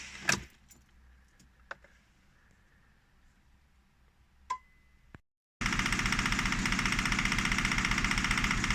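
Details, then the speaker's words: 2007 Fiat Panda 1.1 (169) first start after engine replacement: key clicks, brief pause, engine catches at once and settles into a fast even idle with no knocking; runs sweet. "Sounds wonderful. So that's it now. It started, it runs sweet."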